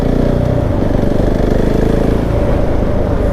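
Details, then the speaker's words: Rattling GasGas SM 700 single while riding: loud metallic clatter over the thumping engine, steady with engine speed; owner believes it relates to oil pressure not yet built up after ignition-on. Top-end rattle, cause unconfirmed. "ach junge jetzt klappert das Ding wieder wie sonst was"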